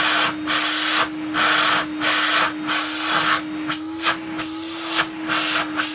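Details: Numatic NV250 vacuum cleaner, used, first run after unboxing: constant mid-pitched motor drone under surging suction hiss with a slightly rough, uneven edge; owner believes the motor bearings need oiling.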